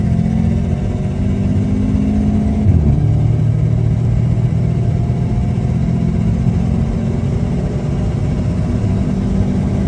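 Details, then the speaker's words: Automatic car, estimated around 280-300 wheel horsepower, heard while driving under load. Steady engine drone with a clean pitch drop at a gear change, pulling evenly with no knock or rattle; running normally. "Um, with the setup it's got, it's comfortable, sounds good, makes all the right sounds with the external and the exhaust. Just a just a solid daily."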